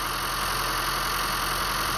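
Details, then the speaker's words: 2015 Honda Fit idling after its 90k service (VTC spring replaced, valve adjustment, intake valves walnut-blasted, drive belt changed): steady, even idle hum with no knocks, ticks or hunting, a normal healthy idle. "So yeah, everything sounds good."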